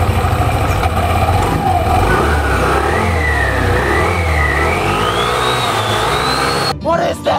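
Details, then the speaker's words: Yamaha All New Nmax 155 with an upgraded CVT (13.8° bored pulley, double clutch housing, 10/13 g rollers, 1500 rpm CVT and clutch springs), revved with the cover open: revs climb smoothly with a rising whine and no slipping or judder. Normal CVT operation. "Nah jadi seperti ini suaranya guys kalau udah upgrade curian dan kita akan coba langsung gas seperti apa sih penampakan posisi fan beltnya ketika di gas"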